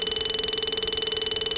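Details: Bajaj Pulsar, switched on with the engine not running, mic near the engine: steady high-pitched electric buzz pulsing about seventeen times a second; not an engine noise, it stops when the positive lead is disconnected; horn buzzing by itself.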